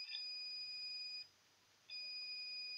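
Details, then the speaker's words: Sapphire Nitro Radeon RX570 8GB graphics card: multimeter continuity check across a fuse gives a steady high beep, break, beep again; one side of the fuse shorted to ground, other side not, fuse blown protecting the card. "see this is the flues from one side of your fuse there's a short but from the other side there's no shots"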